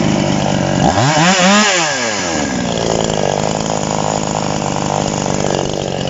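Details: TOMITSU 5800 chainsaw, no bar fitted: blips up and down then holds a thin, screaming high rev; carburetor adjusted too lean, needs backing off for cutting wood.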